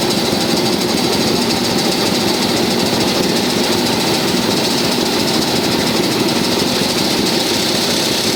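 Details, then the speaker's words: First start of a tractor diesel after engine repair: long cranking with a continuous harsh mechanical clatter before it fires, slow to catch while diesel is still being primed; the starter also needs repair. "так друзя первий запуск бачили конечно не так він сразу і буркнув ну понятне діло що поки там солярка прокачалася"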